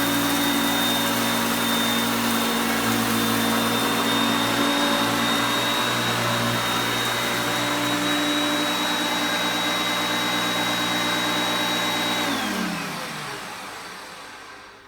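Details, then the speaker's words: Hoover Concepts self-propelled upright vacuum after cleanup, demonstrated on luxury carpet: smooth steady high motor whine holding pitch, changing as drive gears shift, winding down evenly at switch-off; normal running. "when you put it on the drive for the self-propelled you will hear the motor pitch change as the gears change to me moving it back and forth as you can see there but it's still picking up really well"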